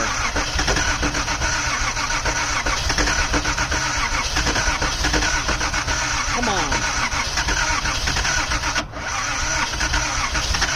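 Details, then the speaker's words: 1979 Datsun 280ZX, long neglected, first start after new injectors: long steady cranking that never catches; owner suspects too much fuel, possible injector leak, fuel pump left on. Extended crank, no start. "Okay, it doesn't like so far. Oh, come on. Let me get a little more air fuel in it."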